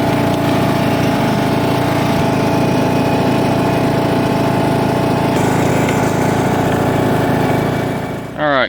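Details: John Deere LA115 mower, 19.5 hp Briggs & Stratton single-cylinder, first run after head gasket and drive belt replacement: runs at a steady fast speed with an even note for several seconds before shut-off. Engine running.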